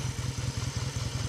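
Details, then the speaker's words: Classic British twin motorcycle (A7SS) started cold and still warming up, idle screw turned down; even, steady beat of about eight firing pulses a second with no tapping or knocking; smooth, healthy idle. "Yeah, sounds amazing. Love the sound of these British twins. Still needs a lot of warming up, but the engine's nice and smooth as well."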